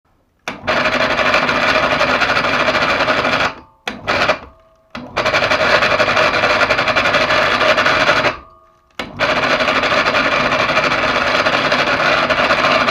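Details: PA 250/500 mini electric hoist motor: short bursts of rough, rapid chatter over the hum; bearings and brake pads checked OK, so the source of the abnormal noise is still unknown.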